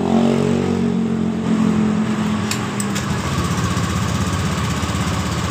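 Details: Honda Beat scooter CVT after correct V-belt and roller installation to fix a clunking noise when the throttle is opened: steady, even single-cylinder putter with no rattle or clatter from the belt drive; normal running.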